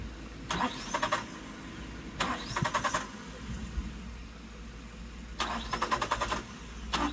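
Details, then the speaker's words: 1996 Suzuki Every van: short cranking bursts with brief stumbling catches, then silence between tries; engine won't keep running because the fuel tank was empty, fuel starvation. "all right so still no good let's uh get this battery on the charger all right we're going to give this one more shot without the battery because I realized that the tank didn't have any gas in it"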